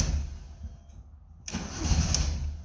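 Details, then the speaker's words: Van just refuelled (gas gauge not working), first start attempt: low, uneven starter churning that swells briefly but never settles into running, like only two cylinders; engine cranks and won't fire, battery found dead. "come on come on why are we not starting sort of running running like two cylinders oh battery's dead"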